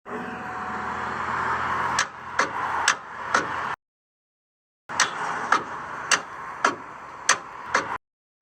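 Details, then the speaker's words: Toyota Tacoma won't start: sharp single clicks about every half second in bursts of four to six, no cranking; starter click no-start from corroded battery terminals, fixed by cleaning terminals. "Uh today hopped in the Tacoma and uh all I got was click click click."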